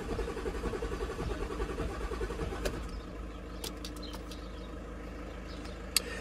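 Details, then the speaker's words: 2011 or 2012 Audi Q7 crank-no-start, previously blamed on the high-pressure fuel pump: even cranking at about one and a half turns per second with a hard hydrolock-like crack each turn and no firing. Fuel rail pressure stays low; injector flooding a cylinder is suspected. "One is while cranking. While cranking, I can hear kind of like that hydrolock crack."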